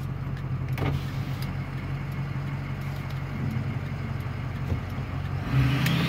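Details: Ford F250 6.0 diesel, 4WD, Power Max tune, straight-pipe 4-inch turbo-back exhaust, heard from the cab with the window cracked on a road test: deep steady diesel drone with a faint whistle climbing toward the end, a healthy turbo spooling.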